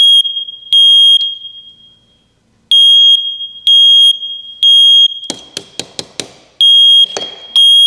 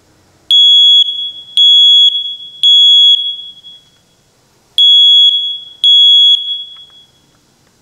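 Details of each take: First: First Alert smoke detector on a 9V battery after cleaning and filing the contacts: loud high-pitched beeps in repeated bursts with no smoke, broken by clicking handling noise; false alarm, cause not yet found. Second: First Alert smoke detector after repair: loud, clean, piercing beeps, three then two, horn sounding as it should once a pulled-out contact that wasn't making good contact was pushed back in; owner thinks it's fixed, though it later worked only momentarily.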